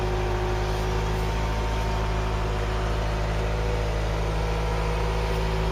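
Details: Ford Cortina Mk3 four-cylinder, sat in a field since 1983, running after charging the battery and filing the points: steady, even idle with a constant low hum, no misses, knocks or rattles; normal idle.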